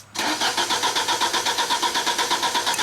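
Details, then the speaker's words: 1995 Genie Z45 lift engine stalls when run from the platform controls, then cranks steadily at about four turns per second without firing. It cranks but won't start from the platform. "And the starter still spins, so it's a crank no start from the platform."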